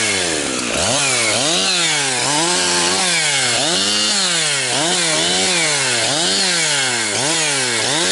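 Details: Husqvarna 362XP Special chainsaw, cutting firewood. In the cut it bogs and surges about once a second, never holding top revs and topping out near 10,000–10,500 rpm. The wrong ignition coil is limiting it, causing four-stroking and lost chain speed.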